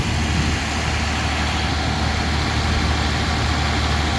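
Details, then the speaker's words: Mazda 323F V6, first start from cold after packing the battery terminals; a loud tick is noted at startup. The idle is even but set too high, adjustable via the screw; no hunting, so the earlier vacuum leak seems sorted. "the idle's high but that could be adjusted looks like the screw adjust screws down at the top um it's not hunting so looks like the vacuum leak to sorted"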